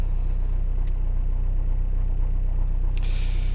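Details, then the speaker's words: Renault Scenic 3, M9R 2.0 dCi diesel idling right after a cold start at minus five with new starter: steady, even smooth low rumble with regular beat; normal idle. "Ну що, на старт віряємо. Все гаразд. При мінуспяти завелись."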